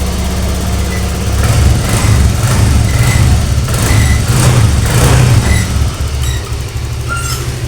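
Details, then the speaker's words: Honda Vario 125 that stalled after washing, restarted with the kick starter after water was cleared from the cylinder and the exhaust refitted: idles and revs smoothly with a steady low exhaust note; water is blown from the exhaust. "Ini bukan ngebul Pak. Ini yang keluar dari knalpot saat kita gas itu air Pak. Air yang berada dalam knalpot tertekan oleh udara dari ruang bakar, kompresi."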